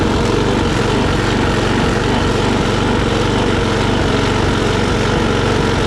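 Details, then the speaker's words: Troy-Bilt push mower, Briggs & Stratton Quantum auto-choke engine, after carburetor cleaning, rpm raised from about 2,800 to 3,100–3,200; fast even drone, surging much reduced; steady running. "You know, it ain't surging near as bad as it was, and I believe that's probably good enough for her to use."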